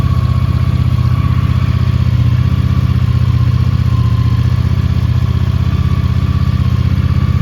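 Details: 1983 Honda GL650 Interstate motorcycle, an Ohio barn find just totally restored, idling after its first cold start of the day; steady, even putter with a rapid regular pulse, no knocks or misses; normal cold idle.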